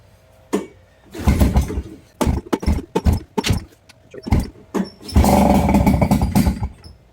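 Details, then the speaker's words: Nissan 5hp two-stroke outboard from a Marketplace jon boat, first start after carb cleaning: a few pulls, then it catches and runs raggedly for a couple of seconds. Rough cold running; owner thinks it needs warm-up or tuning. "I would call that a running engine. probably need to tune it a little bit or at least just let it warm up."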